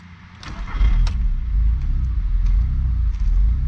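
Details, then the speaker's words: Mk3 VW after fixing an oil-contaminated vacuum line: low, steady idle with slight unevenness, settling but not perfectly smooth; mild rough idle, other coil packs idled smoother. "but now we had to crazy idle again but it's running up smoothing out smoothing out i think we're good sounds like it's running"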